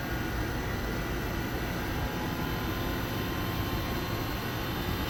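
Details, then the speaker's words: Used 3-ton mini split inverter condenser, repaired by replacing a blown main-board fuse feeding the reversing valve, started in cooling near 70°F: expansion valve opens, outdoor fan starts, smooth hum climbing as compressor ramps up normally. "Ramping up. Of course, the power and processing power of this thing is very minimalistic, so it's not all that great."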